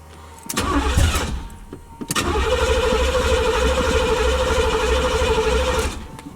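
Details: Box Chevy project car, first cold start of the day, just fitted with new rotors before first drive: starter churns in bursts for over a second, pauses, then catches and settles into a rough, steady cold idle.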